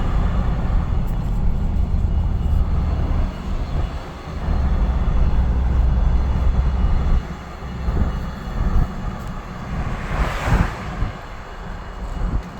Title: ranger raptor grinding noise